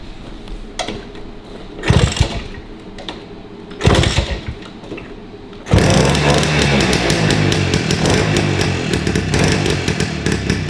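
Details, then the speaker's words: 1953 MV Agusta 125 Pullman, cold start with choke after correct spark plug fitted: catches in ragged bursts, then runs with uneven stumbling beats instead of a steady bang; misfiring at idle, points and ignition suspected, not confirmed. "Hear that missing? Yeah. Should be constant bang, bang, bang, bang, bang, bang. It's all over the place there."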